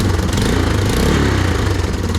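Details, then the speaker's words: 1996–97 Yamaha Timberwolf 250 quad, sat 18 years, got running: after tuning the carb idle screw while running, loud steady single-cylinder thump at a low even idle, no hunting or surging, better than the earlier revving. Normal idle. "that's how it should sound it should sound a lot better than what it was when it was"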